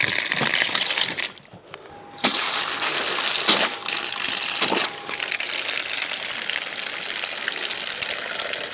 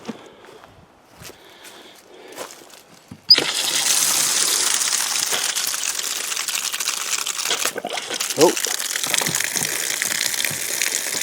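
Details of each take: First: Lake-fed outdoor water pump system being put back into service in spring: a steady rushing hiss with brief sputters and burps as air and brown water clear, then a smooth, even flow showing normal running. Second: Camp outdoor water system being refilled in spring from a lake pump: water gushes from the outlet after a quiet start, with sputtering gulps as trapped air burps out and brown water clears before the flow steadies.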